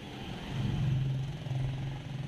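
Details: Hard morning cold start on a Mitsubishi Adventure 4D56 diesel: low, labored drone surges unevenly as the engine struggles to catch; glow plug test found failed plugs, replaced with new glow plugs.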